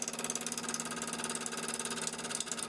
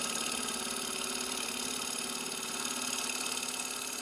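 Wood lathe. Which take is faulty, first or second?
first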